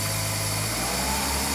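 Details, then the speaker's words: 1990 Mercedes W126 300SE gasoline six, not run in 4 years, with fuel to the injection system and good oil pressure: steady, even idle with no misses, knocks or ticks. Normal idle. "believe that isn't that amazing the engine runs and it runs really quite well"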